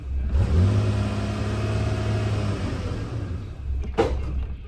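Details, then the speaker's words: Toyota Tacoma 4.0L after both oil control valves checked and intake refitted, no codes: starts and idles smoothly, then sharp clattering and dies; slipped or stretched cam chain suspected. "And then that noise and dying. I don't know what that is. It sounds like a cam might have slipped, or the chain might have slipped on a oy vey."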